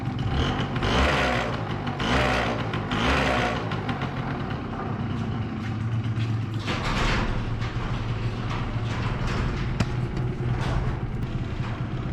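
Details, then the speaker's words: 2005 Yamaha YW50 Zuma 50cc two-stroke scooter being revved: rough clattering bursts with each rev come from the fuel tank, which is not yet bolted down and rattles on its mounts. "I haven't bolted down the gas tank that's what that sound is when I rev"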